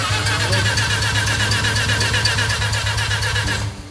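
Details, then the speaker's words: Mazda RX-7 with engine just reinstalled: steady cranking about four beats a second for several seconds, never firing; cranks but won't start, probably no spark suspected, cause not confirmed. "it doesn't seem like they're spark I would say probably no spark dude"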